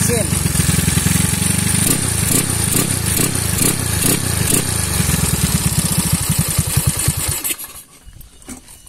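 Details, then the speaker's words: Honda Beat carbureted scooter bored up to 130cc, unused about a year after 9 months of riding without maintenance; uneven, coarse single-cylinder thrum with irregular clattery pulses at idle; rough running, with light smoke, owner suspects worn piston rings and a needed rebuild. "nah yang pertama itu mesin pertama gua naik itu dia gak apa ya dia nggak sekasar ini suaranya itu benar-benar kasar"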